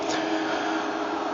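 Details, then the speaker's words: Arctic Air Ultra cooler fan on third/maximum speed setting with iced filter installed, its loudest level: smooth steady airy rush with faint constant hum, no rattles or pulsing; normal fan noise at high speed. "This is the sound that this fan is doing. This is the maximum noisy level that you can hear. So this is in the third speed of the fan. This is the third speed setting."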